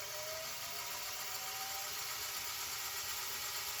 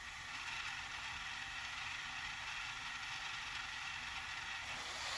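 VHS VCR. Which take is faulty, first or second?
first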